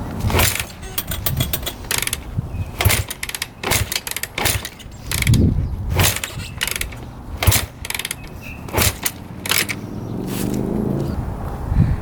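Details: 2006 Honda CRF250R, freshly rebuilt by the previous owner, kicked over on choke with the carb holding gas. Clattering compression thumps but it never fires; it sounds weird, almost like a loose cam chain.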